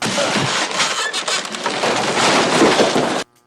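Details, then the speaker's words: 1965 Ampeg G-12 Gemini I tube guitar amp after power-supply grounding rework, volume turned up: loud rough crackling hiss rising and falling unevenly then cutting off; amplifier noise, owner suspects DC on the line, source not found. "oh yeah the noise is getting really i think there's dc on the line ah"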